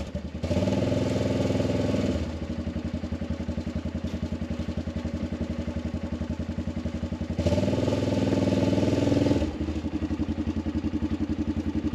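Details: Arctic Cat 500 ATV outdoors near 0°F, running after no-crank no-start fixed by recharging dead battery: steady even single-cylinder thump with two brief clean revs settling back smoothly; healthy.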